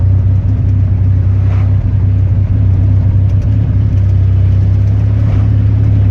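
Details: Chevy 4.3 V6 at constant speed: a deep, steady drone with a faintly uneven, lumpy low pulse; a misfire, cause not confirmed.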